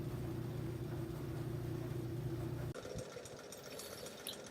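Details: GE dryer after squeak repair, running 40 minutes on Auto Cotton with wet towels: steady low hum of smooth tumbling without squeaks, then it stops and handling clatter follows.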